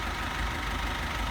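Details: Cummins ISF 2.8 diesel in GAZ Sobol/Gazelle, after timing chain and tensioner shoe replacement fixing a knock, injector flush planned: steady idle clatter, even low rumble, no heavy knock, slight vibration; normal idle.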